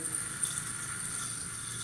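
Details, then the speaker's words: Fluidmaster 400A universal toilet fill valve after cleaning: with the tank nearly full, a faint steady hiss of water keeps running. The fill valve still leaks under pressure, bubbling, and is likely to worsen. "Hear the water leaking a little bit? There's pressure, there's water leaking. And it's probably going to get worse."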